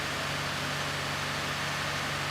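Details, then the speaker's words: 2017 Ford F-150 3.5L EcoBoost after engine swap, first start with new low and high pressure fuel systems after long priming crank: steady, even idle hum over light hiss, no knocks, ticks or misses; normal idle. "so all that's totally to be expected except for the battery issue sounds good"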